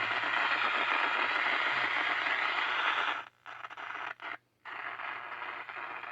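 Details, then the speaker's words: Mid-1960s Channel Master 6528A six-transistor AM radio, garage sale find, first power-up: hissy crackling that drops out and returns when manipulated; no reception below 760; oscillator suspected cutting out, loose board connections suspected, not confirmed. "Of course, the more we manipulate this, the more crazy it gets, so maybe we got loose connections here on the board."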